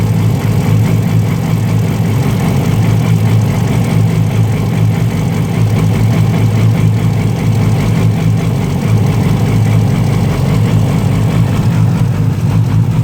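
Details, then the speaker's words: Rough unstable idle on a 2008 Yamaha R6 with a Two Brothers slip-on exhaust: deep loud idle with uneven pulses and surges, worse cold but still present warm, with rpm bouncing. Ticking also present; a cam chain tensioner was suggested, but the cause is unknown. "Having a little bit of a idling problem with this with this uh R6. Especially when it's cold. Even when it's not, it sounds really uh jerky."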